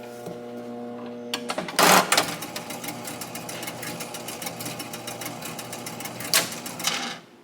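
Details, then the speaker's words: Barn-find 1961 Gottlieb Corral pinball machine, stored in a shed since at least the mid-1990s, during repair: steady fast relay clatter keeps running on after scoring and never settles; the 100-point reload relay is stuck again. "No, 100 reload is stuck again."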